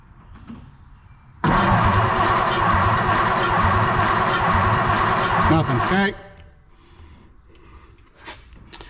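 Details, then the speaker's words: Chevrolet C10 project truck after fresh wiring and gauge install, first start attempt with no ignition checked beforehand: steady starter cranking about 2.5 turns per second for four seconds, never catching; cranks but no start, spark then checked. "we've got nothing so probably should have checked this but I didn't"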